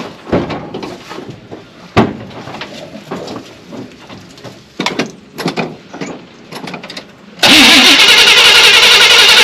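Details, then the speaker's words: 1978 Chevy C20 4wd, 350 small-block V8, first start after a backfire fix (new cap, rotor, coil, plugs, coil ground strap in distributor): a few seconds of cranking and clicks, then it catches at once into a strong, even run; normal. "This is going to be our first start, so you're going to see the same thing I do, but I think it should fire right up."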